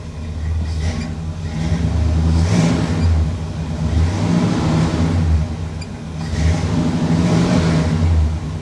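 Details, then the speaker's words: 1965 Cadillac V8 just started after a driveway breakdown: deep rumble with gentle throttle blips, settling smoothly, no knocks or ticks, while the oil light goes out; sounds healthy. Owner suspects a leaking front crank seal and notes a high idle with dieseling at shutoff. "Sounds healthy. Sounds great."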